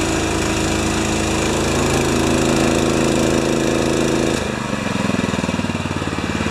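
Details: Honda-powered wheelbarrow air compressor, long-stored, after oil change, adjustments, new Kevlar belt and new output switch and gauge: small single runs smooth and even, beat settling lower as air is bled off; healthy run under load.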